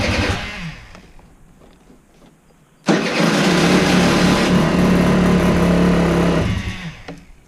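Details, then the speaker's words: Aprilia SR50 scooter after installing a custom rebuilt fuel pump: cranks, fires and buzzes evenly for about three and a half seconds, then dies; won't stay running, owner unsure whether it needs more or less fuel. "So maybe it needs more fuel or less fuel?"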